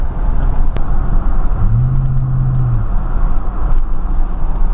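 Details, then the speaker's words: 2004 Silverado 5.3L after replacing the fan clutch, heard from outside: low steady idle with no fan roar or whoosh, faint power steering pump whine; normal idle. "that sounds much better. I don't hear any whoosh, not like I did before"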